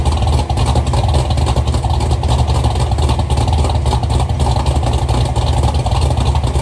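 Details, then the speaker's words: Chevrolet Nova V8 with rebuilt dual carburetors, recorded from toward the back of the car: deep, even rumble rising with blips, with strong compression thump; seemed more than the assumed roughly 10:1 motor. Healthy running. "this car sounds really good running it sounds it sounds like I was I was assuming this probably was like a 10 to one motor but it she's got some thump to it some compression"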